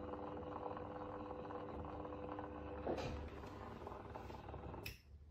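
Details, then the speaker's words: PSR-E-C actuator with PSAP.3 module during commissioning, driving toward the closed position: quiet steady motor hum that stops cleanly at end of travel, cutting off at 0.1 V; operation is normal. "and now let's go to the closed Direction so the actuator is still running properly here"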